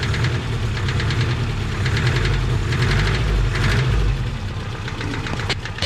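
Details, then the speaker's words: Subaru Brat engine with blown head gasket and heavy smoke, suspected oil pressure loss, at idle: sharp fairly regular chattering knock about four times a second over a low rumble; suspected rod knock. "oh I'll let you hear it that sounds like a nod rocket to me yeah yeah she's chattering away right there"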